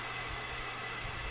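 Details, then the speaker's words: Four-zone ductless mini split, indoor head about 50 ft away on a 130 ft lineset: steady, airy refrigerant hiss over a low fan hum from low charge; adding half a pound of freon halved the hiss. "I add a half a pound of freon and the hissing is about half as much as it's weird and it's actually a lot cooler"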